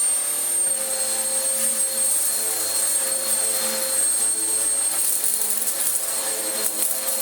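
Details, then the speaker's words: Vax Power U84 vacuum after fixing its snapped, stretched, slipping belt: the brush roll now spins but there is no suction. Thin, airy high whine lacking a deep airflow rush; filters badly clogged. "The brush roll now spins, but, and there's always a but, with a Vax machine, isn't there, it has no suction. And I think the reason is going to be fairly obvious when I show you the filter."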